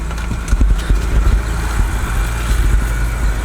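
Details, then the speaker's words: BMW N52 inline-six after replacing the faulty fuel injector: deep, steady idle with an even beat and no stumble or shake; running smoothly on all cylinders, repair appears to have fixed the misfire. "okay it's sounding good yeah so i think that did it for me guys"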